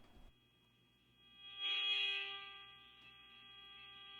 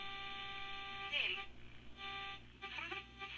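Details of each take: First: Sony 6RC 23 AM clock radio under restoration, dial off frequency: a steady high whistle with faint hiss from a loosely coupled RF generator test signal at 540 kHz while the set is tuned at the bottom of the band for dial alignment. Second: Restored Sony 6RC 23 AM clock radio, midband 800 kHz check with test tone: clean steady tone slides away and back as dial rocks across it; dial considered calibrated.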